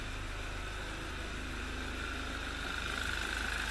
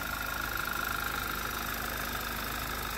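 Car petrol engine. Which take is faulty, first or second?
first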